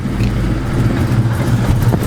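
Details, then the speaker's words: Car about 1,000 miles after a Spec Stage 2 clutch install, idling with the mic placed close by: heavy drone with an uneven chattering, clinking rattle near the bellhousing. Cause unclear, possibly clutch or flywheel; driving is unaffected. "as you guys can hear it's rattling its clinking but like I said it's not giving me no problems"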